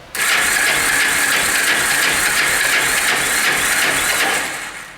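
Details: Cold Yamaha Special 250 classic carbureted bike runs with a raspy, uneven stumbling putter then dies; hard cold start, mechanic suspects clogged low-speed carburetor jets.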